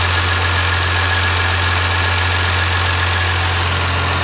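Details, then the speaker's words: Toyota JZX90 with 1JZ engine, after fixing cam gear and front main seal oil leaks, recorded at the engine bay: smooth, even idle with a steady low hum and no knocks or misses; healthy normal idle. "the motor to us sounds very healthy um yeah the motor sounds really good it sounds like it idles well"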